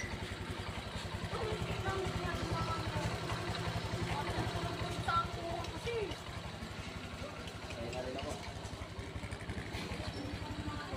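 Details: Honda Click V3 scooter at 8k odometer after its first CVT (pang gilid) cleaning, previously shaking and dragging: idles with an even low putter, no rattle or clatter from the belt side; CVT sounds healthy.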